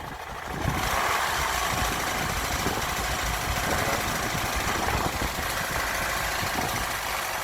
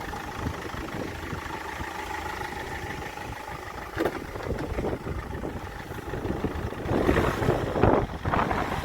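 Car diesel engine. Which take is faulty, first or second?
first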